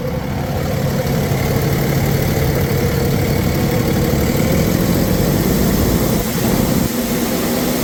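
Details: 2009 Freightliner M2 bucket/chipper truck, Cummins 6.7L turbo diesel, 24,000 documented miles, recently serviced: deep even idle with steady rumble, no knock, miss or rattle; running healthy.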